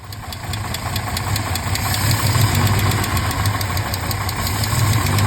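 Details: 1968 Mercedes-Benz 230, about a month unstarted, after a Zenith 35/40 INAT carburetor and fuel return valve repair: light quick ticking keeping pace with a lumpy idle; the lifters have ticked for over 30 years.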